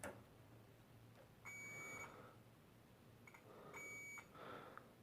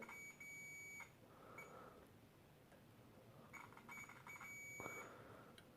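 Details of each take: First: and there of course you have also some of these i think these are zero ohm resistors they beep as well Second: Philips Brilliance 220SW (HWS9220I) LCD monitor, May 2009, backlight fault: multimeter continuity beeps across a capacitor near a CCFL high-voltage transformer, reading near short; capacitor suspect, fault not yet fixed.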